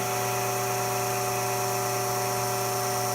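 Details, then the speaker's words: Becker VT 4.16 vacuum pump, built 2016, about two years' shop use, cleaned and reassembled, pulling vacuum: steady electric hum with even whirring, no grinding or rattling; running healthy. "Let's turn on the pump, see what happens. Sounds like she's running okay so far."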